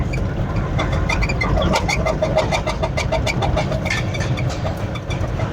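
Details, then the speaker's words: 2018 Toyota Land Cruiser pickup, 1VD 4.5 diesel, road test in second gear under light throttle: uneven, stumbling beat with irregular knocking over road hum; missing cylinder blamed on a faulty injector, leaking or blocked. "दूसरा gear में हल्का accelerator के साथ missing आ रहा है। Knocking भी आ रहा है। तो इसका मतलब ये है कि जो इंजेक्टर है ये प्रॉपर काम नहीं करता है।"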